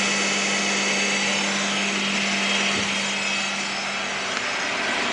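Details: 1998 Honda Prelude with oil pressure light flickering at idle despite fresh oil and filter: steady hard whine at even pitch, no knock or rattle; owner suspects failing oil pump, ruling out power steering, pulleys, timing belt.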